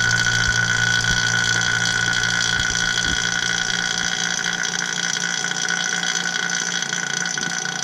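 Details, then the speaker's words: Vacuum pump drawing vacuum on a 2003 Mini Cooper AC system after compressor and drier replacement, flush, and PAG 46 oil fill: steady unbroken motor drone, pitch changing as the gauge valves open. Running normally; it is kept on for at least an hour. "You can hear the pump changing. Yeah, it's working. Throwing vacuum."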